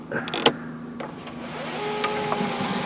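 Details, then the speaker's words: 2004 VW Jetta, 2.0L 4-cylinder, 175,772 miles, sunroof opening a little: light clicks, then a steady, even motor whir. The sunroof works normally, though it sometimes gets stuck when opened all the way back. "Like I said, I know it does work. I can open it a little bit."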